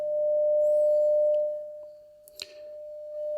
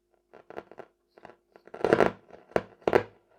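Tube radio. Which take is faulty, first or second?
second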